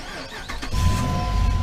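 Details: 2005 Jeep Grand Cherokee with a click-no-crank fault, started by shorting the starter relay terminals to bypass the relay: short starter whirr, then the engine catches and settles into a steady low rumble. Normal start.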